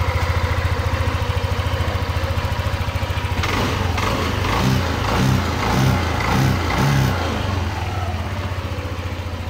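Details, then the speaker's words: Yamaha NMAX version 2 after an ignition coil swap, done because the idle had been unstable with the engine stalling and a check-engine light: the engine now idles evenly and stably, with throttle blips settling cleanly back to idle. "so yan mapapansin niyo naging stable Yung kanyang idle yung takbo niya hindi na rin siya namamatay so yan pino na ulit yung tunog"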